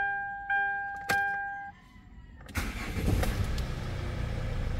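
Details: Hyundai Starex diesel after fixing a no-start problem, no check engine light: dash chimes, short crank, then catches and settles into an even low clatter; starts normally without hesitation.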